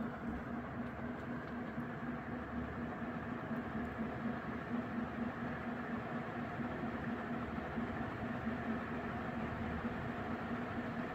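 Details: Mid-to-late 1980s 56-inch industrial ceiling fan with cast-iron motor, on a 5-speed coil choke control at full speed, about 250 RPM: steady 60-cycle hum with irregular soft clunking, as the motor housing isn't as tight as it should be.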